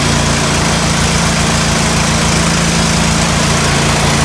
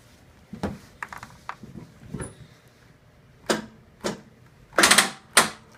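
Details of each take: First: John Deere L130 lawn tractor after a blown fuse was replaced with a new 20 amp fuse and the battery charged: loud, even, unbroken engine drone, no misses, knocks or rev swings; running healthily. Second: John Deere L130 lawn tractor, no power, just fitted a new 20 amp fuse for a blown one: a few sharp, uneven clicks, engine never cranks; owner suspects dead battery; later charged and runs, seemingly just the fuse.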